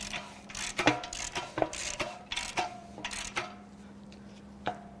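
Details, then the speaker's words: 2019 Ford Ranger 2.3L EcoBoost, failed at 104K miles with poor maintenance, bare engine turned by hand at the crank: uneven heavy clunks as the crank reverses, excessive rod play, likely worn number two rod bearing. "yep that's a problem so we've got a problem with likely number two bearing you can hear"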